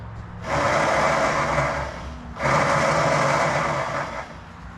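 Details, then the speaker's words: Lawn mower with no spark and a suspected bad coil: two high, even whirring bursts of about two seconds from the electric starter, with no firing. The starter spins but does not engage. "doesn't sound like it's engaging but kind of cool that it works"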